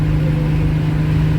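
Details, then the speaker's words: 1970 Pontiac LeMans with 455 Pontiac V8 cruising at the speed limit: steady low drone, no whoop or pulsing; original driveshaft rebuilt with new Spicer U-joints, drivetrain vibration gone. "Yep, she still got it. No more vibration in the drivetrain. Cruising"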